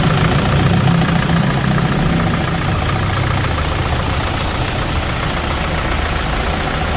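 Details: Toyota diesel after valve cover gasket oil leak repair with genuine parts and 7-litre oil change, belt and bearing work; steady low idle clatter, even beat, no misses, knocks or squeals. Normal diesel idle.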